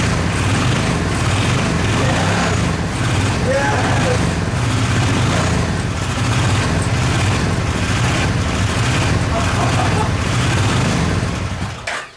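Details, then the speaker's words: Suzuki VX800 engine in homemade buggy, first run after repeated attempts: loud uneven lumpy running that never settles to smooth idle; carburetor leaking gasoline. "Oh man! Oh, it finally runs! Come on! It just needs some encouragement. Oh, it runs!"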